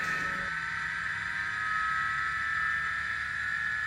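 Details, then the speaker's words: Drean spin dryer after fitting three new suspension rubbers to fix an off-centre drum that shook and made noise: steady, even whir with a constant high tone and no knocking; spinning smoothly and normally. "Así que nada, acá lo dejamos trabajando como debe ser."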